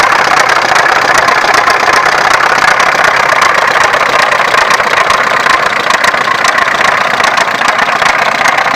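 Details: Opel X20XEV engine at steady idle with a light, fairly quick tapping about two or three a second; engine knock, source unclear.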